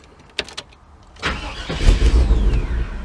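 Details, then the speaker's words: 1998 GMC OBS truck: brief crank catches, runs about two seconds then shuts off while the anti-theft light blinks and the fuel pump seems to cut; owner points to wiring that needs wiggling. "But if your truck is doing this, it starts up for a little bit,"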